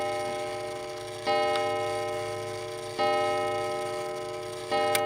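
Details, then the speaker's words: Mechanical striking clock after cleaning pivots (previously lubricated with graphite): clear ringing strikes roughly every 1.7 seconds, fading evenly, sounding better though one wheel still wobbles slightly; runs cleanly. "see how it sounds a little bit better that's just one side wheels a little bit bit but working"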